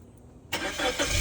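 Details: Engine started to show coolant circulation, demonstrating no blown head gasket: quiet, quick crank, catches cleanly into a steady even idle; normal engine start.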